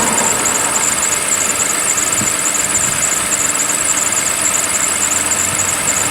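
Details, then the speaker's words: 2007 Toyota Camry V6, 2GR-FE engine, cold start in about 50°F January weather. Loud steady idle with a high squeal and a light uneven rattle; owner says the rattle is normal for these engines and fades as it warms. Cause unconfirmed. "it's nice there's nothing wrong with it when it warms up a bit the rattly totally going on tends to smooth out and go away"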